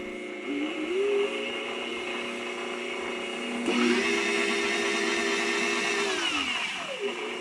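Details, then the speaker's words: Bridgeport mill 6F power feed after fitting a new gear and ISO 150 gear oil: clean motor whine rising, holding steady and winding down, no clicks or grinding; normal, smooth power feed gear drive. "Now that looks and sounds a lot better. It sounds very smooth and moves very smooth. Very happy with this now."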